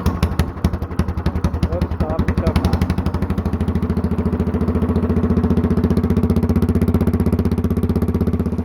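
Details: Honda clone single with stage 1 kit, header, 10-pound cast iron flywheel and cam work for low-rpm compression, started on choke: slow soft chuffs, then the automatic compression release disengages and it gets louder and quicker into an even thump; normal start-up.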